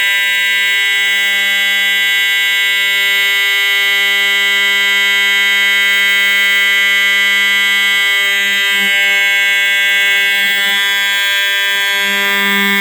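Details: EST 7577AHS older Integrity horn strobe, continuous only, no code 3 option; loud steady low-pitched monotonous tone that never changes or pulses, sounds older; normal horn operation.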